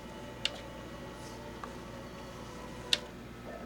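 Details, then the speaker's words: Known-good Philips VAD6035/21 drive in an original Xbox running Halo: quiet steady spin with a few light seek clicks; drive spins up and reads the disc normally. "all right so we know that drive Works"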